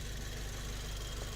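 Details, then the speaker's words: Freshly built big-turbo four-cylinder (400 hp target, used rings), first start: low, lumpy but even tractor-like idle with no knocks or misses; engine runs fine. "that's so good to hear this engine run again i haven't heard a good tractor in a minute"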